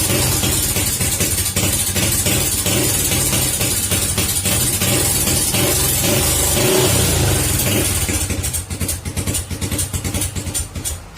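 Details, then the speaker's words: Early Honda Supra Fit single-cylinder on hot-engine restart after stalling: runs lumpy and uneven, stumbling and hesitating, also hard to start when hot; ignition parts checked, mechanic suspects a stuck automatic decompressor on the camshaft. "seperti itu teman-teman, dia pincang-pincang. Jadi apa penyebabnya? Mari aja kita bongkarin dulu ya."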